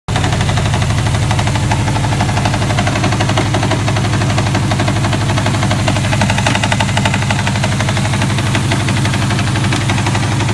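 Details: Subaru WRX turbo petrol engine idling with a steady, regular knock about four times a second over a deep rumble; cause unknown.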